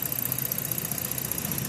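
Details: 2014 Ford Flex petrol engine idling with an uneven, stumbling pulse from a misfire on cylinders 3 and 4.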